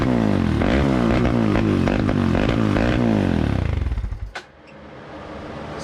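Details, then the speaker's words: 2003 Polaris Predator single-cylinder after reassembly with refitted carburetor: fires lumpy and uneven for a few seconds then sags and stalls; running super rich and smoky, float adjustment possibly needed. "This thing's super rich running. I don't know if it's needs a float adjustment or what just yet, but it fired, so we want to hear it actually run."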